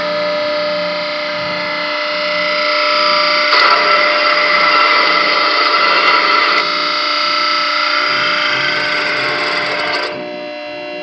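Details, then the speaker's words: Exhaust fan motor on 460–480 V three-phase, run with belt off at no load: hums, then harsh rough roar for seconds until overload trips; bearings bad, shaft frozen, never worked. "there you got it the bearings are bad on this guy so I got the disconnect off right now let's go ahead and try oh yeah that's frozen super frozen all right"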